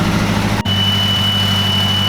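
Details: Mazdaspeed3 turbo with 3.5in intake and Corksport intercooler, just started on its first base map: steady even idle, constant low rumble with a thin high tone on top, no misses or knocks; normal idle.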